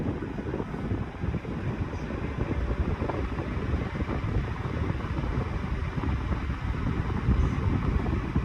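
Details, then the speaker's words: 1991-92 Patton 12-inch high velocity fan, non-capacitor motor, after oiling the front bearing only: a steady airy rush on high speed, even and free of rattles, ticking or bearing squeal; the fan runs smoothly. "I'm giving it some zoom spout. Front bearing only, that's all I can oil it in. Seems to be doing quite well even when I put it at high speed."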